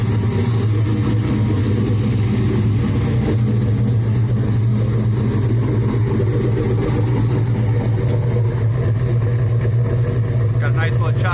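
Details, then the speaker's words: Chevy S10 with rebuilt LS 383 stroker V8 and Cam Motion cam (about 620/598 lift): deep loud idle with steady uneven lope, no knocks or ticks; warm idle set about 750 rpm; healthy choppy idle. "ran that cam motions camshaft or the titan five or six or something like that i really like it it sounds killer once it warms up and it gets down to warm idle about i put it about 750."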